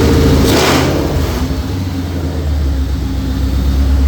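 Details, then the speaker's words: Low-mileage 2004 Mercury Marauder with new forged supercharged 03-04 SVT Cobra engine and new headers, first start after 7 years, warming up: after a blip, smooth, even, deep idle, slightly smoky from new parts burning off; normal. "Little smoky, but brand new motor, brand new headers. Nothing I'm too terribly concerned about. Certainly sounds good."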